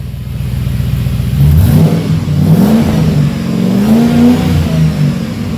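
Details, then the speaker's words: Jeep Grand Cherokee WJ V8 after a new Magnaflow muffler, resonator removed, cats retained: deep burbling note that climbs and falls with each throttle blip, with no rattles or leaks; healthy exhaust. "all right yeah it sounds pretty good yeah that sounds pretty good gap oh yeah v8"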